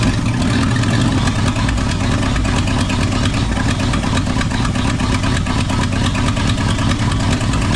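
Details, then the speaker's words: Ford F250 truck with new fuel line, cold: low steady rumble at idle with a slightly uneven beat; runs but poorly, reluctant to pull fuel, warming up, cause unknown. "she's a runner she ain't she don't like uh pulling fuel we want to warm up a little bit"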